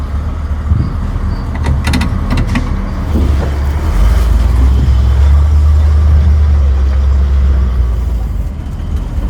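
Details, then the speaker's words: 1955 Buick Special nailhead V8 after carburetor rebuild, refuelled after running low on gas: a deep exhaust rumble builds smoothly under load with no bog. The rebuilt accelerator pump gives way better throttle response, and acceleration is night and day compared with before. "Acceleration is definitely night and day compared to what it was."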